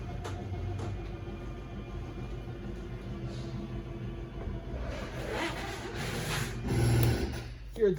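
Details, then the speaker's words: 2024 Forest River Wildwood 31KQBTS travel trailer slide-out extending with out button held: low motor hum as room travels out, then motors wind up and click at full extension; normal operation. "Once it does hit its full extension, you're going to hear the motors wind up and click"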